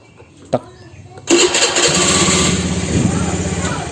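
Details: Honda Vario 110 LED scooter, after repair of a starter that only clicked and would not turn: a quick click, then the starter catches at once and the engine settles into a steady idle; normal electric start.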